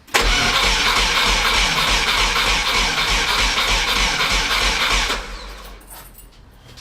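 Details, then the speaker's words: VW T3 Combi with swapped Subaru engine on standalone ECU: even cranking around 200 a minute for five seconds, stops without firing; no ignition because an ignition coil wire was unplugged. "Il y avait un fil de bobine qui n'était pas branché. C'est pour ça que j'avais pas d'allumage."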